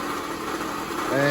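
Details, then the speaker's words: 2004 Toyota RAV4 2.4 L four-cylinder running: coarse, gritty harmonic rattle over the idle; owner is almost sure it's worn water pump bearings, a pump now being replaced for probably the third or fourth time on this vehicle. "all right so as you can hear that sounds like total crap so I'm pretty sure what that is is the uh the bearings in the water"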